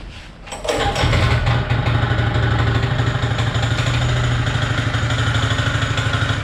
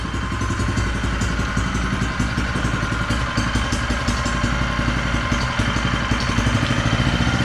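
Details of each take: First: Honda GX160 engine on a Power Trowel M80H concrete trowel: fires and idles steadily with a persistent hard knock every few beats, a clear knock between crankshaft and connecting rod. The machine is not serviceable. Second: An identical healthy Honda GX160 engine at raised rpm: a steady, even single-cylinder drone with no knock or clatter, far quieter than the knocking engine.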